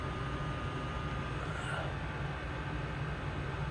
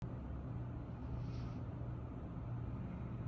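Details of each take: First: Old commercial Trane water source heat pump in cooling after the clogged drain was fixed: steady low hum and airflow rush with no knocks or squeals. Return air is 73°F, supply 57-58°F, running smoothly. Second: Old commercial Trane water source heat pump on a cooling call: only a steady low fan hum and airflow, with no compressor. A clogged condensate drain has tripped the float switch in the series safety circuit, locking out the compressor.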